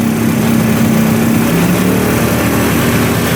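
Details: 1971 Suzuki T500 500cc two-stroke, sat 22 years, after carburetor float fix: ragged uneven idle whose pitch shifts when the intake manifold is sprayed, pointing to an intake air leak.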